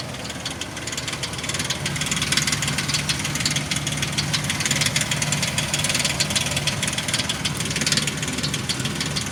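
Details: 2003 Ford Explorer 4.0 SOHC, about 380,000 km, engine hot: fast sharp steady ticking over idle, vanishing around 1000 rpm and returning near 1500 rpm; only when warm, source unclear, possibly valvetrain or timing.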